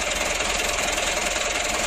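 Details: Mitsubishi Canter diesel that was hard to start, after adjusting the fuel load, governor and idle: it now starts easily and runs with steady, even diesel clatter and a constant hiss, settled with no hunting; normal idle.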